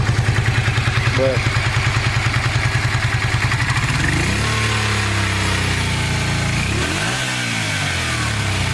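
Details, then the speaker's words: 1986 Honda VT500 Shadow after years of storage, rear cylinder dead at low revs: uneven lumpy pulsing that fills out and smooths past half throttle as the rear cylinder kicks in; owner suspects the carburetor, not ignition; not running hot. "can hear it kick in after a while after you get half throttle"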